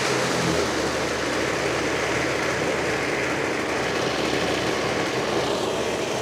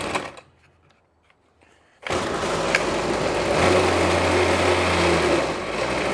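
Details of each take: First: that ain't too bad I think that'll do just fine Second: Trash-picked Ryobi 25cc two-stroke string trimmer with a non-adjustable carburetor: catches and screams buzzy and strained at high revs, running only on throttle. It dies as soon as the choke is backed off, so it is running very lean.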